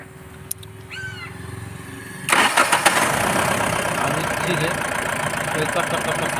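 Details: BS4 common-rail diesel with codes P171A/P1B87 that cut-cut-cut after starting due to poor rail pressure; injectors fine, rail pressure sensor fixed: brief crank, clean catch, steady even idle with no misses or knocks.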